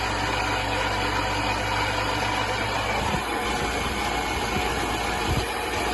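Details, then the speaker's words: Sunbeam Alpine Fastback being recommissioned after about five years unused; steady idle with a busy rough whirr from a very noisy water pump. "yeah very noisy water P still I'll keep this going drain the tank"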